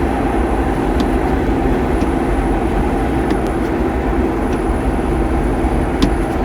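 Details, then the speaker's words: 2023 Ford Bronco MT88 manual transmission coasting in neutral at about 42 mph, decelerating: steady drone and faint constant tone with light ticks; noise stops when stick is eased toward a gear; cause unknown. "in neutral, we're going about 42 and decelerating. Now if we slowly push the stick shift towards one of the gears, you'll hear the noise stop."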